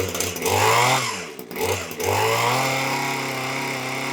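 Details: Titan hedge trimmer after its broken handle was glued back: pull-start catches, revs, and settles into a steady, even high buzz with no misfires or surging. Tickover was noted as a bit low; running properly.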